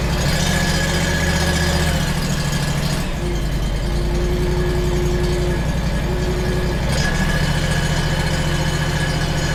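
Mower engine running with a rough, uneven rattle and a faint tone that comes and goes; cause of the noise unclear.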